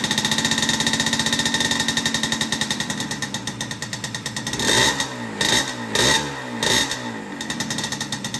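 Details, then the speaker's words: Banshee two-stroke quad: ragged, uneven popping that stumbles and surges under blips. Only one cylinder fires, and it won't idle unless the throttle is held. The owner suspects the carbs (new ones ordered), but this is not confirmed. "besides that like one cylinder will turn on and I can't idle it it won't idle like it'll idle it'll stay idling but I got to hold the gas"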